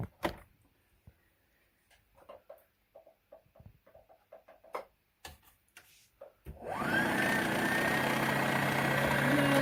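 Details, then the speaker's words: Brother sewing machine bobbin winder after repair of worn winder that worked only intermittently, rubber tire flicked over: handling clicks, then smooth steady high whirr rising and holding, winder spinning freely; durability uncertain. "now you'll see the bobbing Winder going around I don't know how long it'll last we'll have to wait and see"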